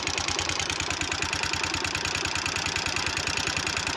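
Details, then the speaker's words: Bajaj Pulsar 150 single-cylinder engine at idle, partly disassembled: fast even tick-tick over the idle from excessive valve tappet adjuster clearance, which needs adjusting. "இந்த சத்தம் தான் வந்து வால்வுனால வருது. அதாவது valve tappet adjuster அப்படின்னு ஒரு adjuster, அந்த அட்ஜஸ்டரோட கிளியரன்ஸ் வந்து அதிகமாகிடுச்சு அப்படின்னா இந்த சத்தம் வரும்."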